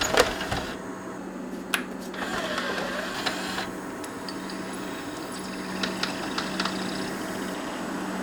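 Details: Pioneer DVL-919E laserdisc player on the bench, being fixed for failing to play side 2, powered up with scope on tracking signals: steady low motor hum with light mechanism ticks, no grinding; disc spinning and playing normally.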